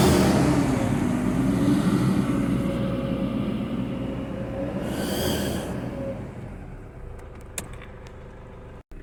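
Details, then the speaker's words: 2007 Toyota Hilux 2KD diesel, after timing belt, tensioner and alternator belt replacement: thin whistle rising with revs under acceleration, first thought to be the air intake, was an exhaust leak at a converter joint. "se escuchaba el silbido normal del turó así que al parecer el soplido decir que estamos escuchando sale de la junta que acabamos de retirar sí"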